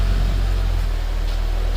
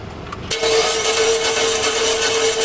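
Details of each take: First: 2011 Mitsubishi Eclipse 2.4L, first run after new timing belt fitted following crank-no-start: low, even idle with steady pulse, no ticking, slapping or misfire, running pretty smooth while oil circulates; normal idle. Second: 2011 Mitsubishi Eclipse 2.4L that died while driving, crank-no-start, timing cover off: starter spins engine fast and evenly with steady whine and no catch while timing belt doesn't turn; belt likely missing teeth, stripped timing belt.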